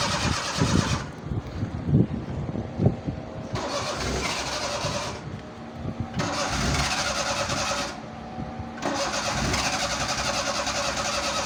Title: Seema | Cold Hard Start| Car Trouble Trying Cranking Pedal pumping | #crankingCar